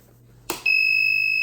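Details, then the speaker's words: Two-channel temperature monitoring safety device for refrigerated and freezer storage, tested by pressing its switch: a click, then a loud, steady, piercing beeping buzzer sounds as intended. "소리가 나죠. 삐삐삐 소리가 납니다."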